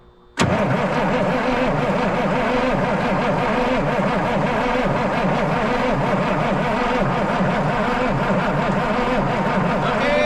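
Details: 1977 Peterbilt 359 diesel sitting for 20 years, cranked on battery charger, air coming out: heavy steady cranking churn for about ten seconds with no firing; crank no start, cause not confirmed.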